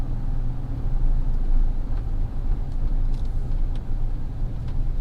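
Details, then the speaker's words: GMC Sierra truck with a 4.3 to 5.3 V8 swap and Trailblazer 4.2 torque converter, on the road after new tune: steady low drone under tyre hiss, no knocks or shift thumps; engine and transmission running smoothly. "everything's running smooth. No weird transmission shifting issues."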